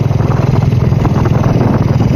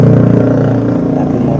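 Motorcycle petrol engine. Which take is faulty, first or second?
second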